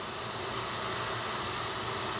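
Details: Basement ceiling water leak: a steady high hiss with water turned on as pressurised water sprays from the supply pipe; the pipe is to be cut and repaired with a piece of PEX.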